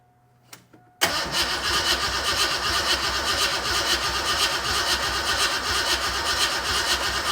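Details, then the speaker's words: Fox-body Mustang cranks steadily about two and a half turns a second without starting; spark and 30–35 psi fuel pressure confirmed, owner suspects injectors aren't delivering fuel. "So the issue is I don't think that the injectors they're not dumping fuel in, because we know we've got spark."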